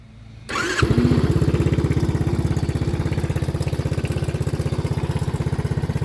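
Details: Four-stroke 125cc quad after repair: short crank, then catches at once and settles into a steady, even thump about three beats a second; healthy idle.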